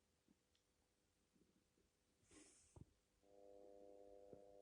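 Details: Elenberg CTV-1540 television, 2005: steady loud low buzzing hum with stacked tones, not from the speaker, continuing briefly after switch-off; cause is a faulty glued power supply, fixed by replacing capacitors.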